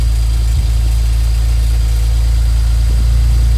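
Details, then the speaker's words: BMW N54 E91 335i wagon at idle after fixing a misfire. The misfire code followed the coil to cylinder 2, so the coil was replaced and codes cleared. Smooth, even idle with no stumble and no misfire; no codes afterward. "and audibly we should not be able to hear them this far so just for good measure clear the court okay so as you can hear no misfire just to be sure"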